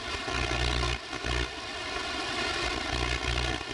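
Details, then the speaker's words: AM radio receiving RFI near high-voltage lines: harsh raspy buzz over steady hum, bursty, dropping out and returning, steadier closer to source; owner suspects a power pole below the lines, not confirmed. "I'll just let you listen to it in AM real quick. It's real bursty. Sometimes it goes away and it'll come back."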